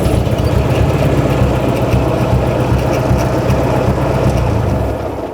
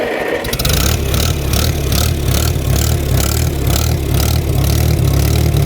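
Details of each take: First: Ford 600 tractor idling rough and uneven, the beat stumbling as one cylinder drops out; a misfire that could be a bad spark plug or something more serious like a stuck valve. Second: Antique used tractor on an inspection test start, no choke needed once running: catches quickly and settles into an even, steady beat, brief gallop that went away, no smoke; runs well, just needs slight adjustment.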